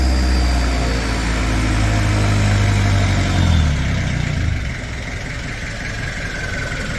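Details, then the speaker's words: Diesel at idle with muffler pipe rerouted between the upper control arms, before new extractors; steady chug with faint turbo whistle, tappets a bit rattly up top; normal diesel idle. "nice bit of whistle on idle chug a lug a lug"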